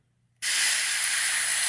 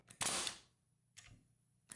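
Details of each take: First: Porter Cable FN250c 16-gauge nail gun: a sharp, steady hiss starts the moment the trigger is pulled. Worn O-rings in the trigger cartridge leak air, so too little pressure reaches the main chamber; the trigger cartridge needs replacing. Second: Porter Cable FN250C 16-gauge nailer after repair, failed wax O-rings replaced with regular rubber O-rings, test-fired on air: two sharp, crisp shots with a short hiss after each and no leak between; firing properly.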